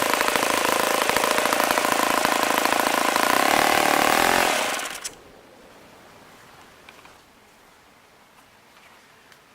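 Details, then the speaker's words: ASP FS 80 Chinese-made four-stroke model engine, fast hand start and easy priming: steady, high, even buzz at speed, then a smooth shutdown; runs healthy. "so as I've said before, this engine really continues to impress me for a Chinese-made four-stroke engine. It was a very fast hand starter."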